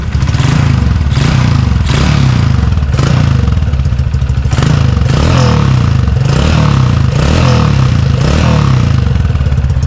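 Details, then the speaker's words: Motorcycle engine after refitting a standard (non-high-lift) camshaft, light throttle blips: revs rise and fall evenly with a smooth beat and quiet valve noise, no high-lift cam clatter; healthy engine. "jadi suara standar tuh dari suara klepnya juga jadi halus mesinnya gak ada suara apa gak ada suara nokenas yang Lif tinggi itu"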